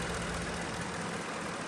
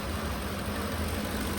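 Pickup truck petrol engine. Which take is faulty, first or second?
second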